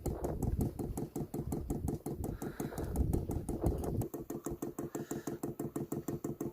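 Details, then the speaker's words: 12V 5kW diesel heater fuel pump being primed via the control panel, filling the filter; steady evenly spaced ticking at about three clicks a second, normal priming. "Oh, there it goes. It's going up. Up, up, up, up. It's filling the filter."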